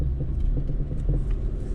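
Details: Vauxhall Corsa D clunking on uneven, rough ground, worse in a straight line: deep rumble with a few dull knocks, diagnosed as worn anti-roll bar drop links.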